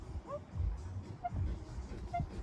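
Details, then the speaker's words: Canyon Speedmax triathlon bike cockpit: faint short squeaks about once a second as the bars are turned, from the plastic front cap rubbing on the headset; owner plans to loosen stem bolt and grease the headset. "Right now, one thing I do want to try and sort out today is this squeak that's going on. I really don't know whether this is a common thing or it's just on my bike."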